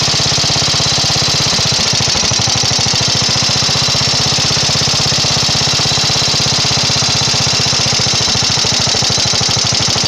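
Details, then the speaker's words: Briggs & Stratton 12hp flathead vertical-shaft engine after adjusting the carburetor main mixture screw on the fuel bowl: steady, even, rapid putter with no misses or surging. Revs and idles nicely, tuned. "you can see it revs up nice it idles nice it's uh sounds good at the higher RPMs and it should be tuned and ready to go"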